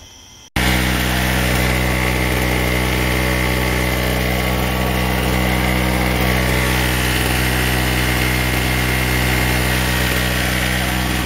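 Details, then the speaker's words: Chicago Electric (Harbor Freight) 800 W generator after a new spark plug, running under a 100 W bulb load at about 125 V; steady even buzz with no hunting, despite the owner's complaint of cycling; normal running under load. "generator seems to be running great my friend said it just kept cycling back and forth but there it is with the 100 wat bulb and it's staying right around 125 volts and it's running pretty smoothly"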